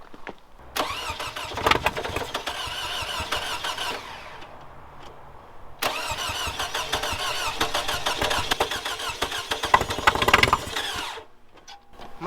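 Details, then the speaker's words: Toyota Camry being revived, fuel pump suspected, fuel pump fuse found cooked: two long bursts of fast starter cranking with no firing; engine flooded with fuel, later started. "she was flooded out oh yeah it was flooded"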